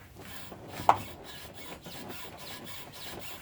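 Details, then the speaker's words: Mercedes rear suspension squeak as a person stands on the car through the rear passenger door: repeated rubbing squeaks, a few per second, as the body is pushed down and rebounds. "So what I'm going to do now, I'm going to open the rear passenger door and I'm going to stand on the vehicle and find that squeak. So as I stand on the car, you'll hear the squeak."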